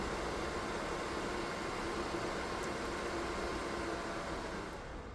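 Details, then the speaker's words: DIY 3D-printed soldering smoke absorber, 120x25 mm 12 V fan (max 2800 rpm, rated 44.4 dB) run at maximum via PWM regulator: steady, even rush of air with no ticking, rattling or wobble; healthy. "now here is installed a fan with a maximum rotation speed of 2800 revolutions per minute, current strength 42 Amps, the manufacturer of the fan declares that the maximum noise level is 44.4 db So let's turn it on at maximum power and listen to how it works"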